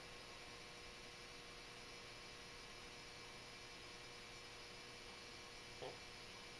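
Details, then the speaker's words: Old Hubbell 400 W metal halide lamp at start-up, warming from dim to bright: steady low buzz with a constant thin tone from the ballast transformer, no flicker or crackle; normal ballast hum. "that sound the buzzing sound you hear is the ballast resistance to Transformer buzzing away"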